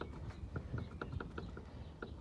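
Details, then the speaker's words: Renault Megane front wheel hub bearing, heard while the wheel is turned slowly: sharp, light irregular clicks several times a second, said to be the balls in the bearing cage being worn out; the bearing is to be replaced along with a steering ball joint. "c'est parce qu'ils les billes dans la cage de roulement en peuvent plus"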